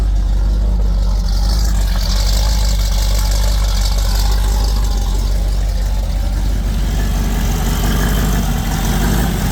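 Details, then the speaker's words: V8 tow truck idling after new coolant and intake air temperature sensors: heavy low idle lumps and stumbles irregularly, black smoke, engine shaking; still running rich. "Yeah, still not perfect. Still running rich."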